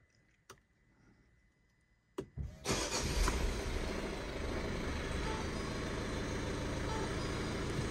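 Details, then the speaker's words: Ford Fiesta Vignale Mk8 1.5 diesel after timing belt and water pump replacement and clutch bleeding, engine light on, likely from unplugged parts. Clicks, quick crank, fires, flares, settles to smooth idle; odd turbo sound; starts cleanly. "so there we go sounds weird because of the turbo and that air system over there but clutch feels nice actually"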